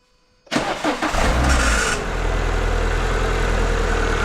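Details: The 182 at startup: thin high squeal over the engine as it catches, fading within seconds to a steady idle, on startup only; suspected slipping worn crank pulley rubber insulator or worn throttle motor cogs, throttle doughy when cold; squeal at startup.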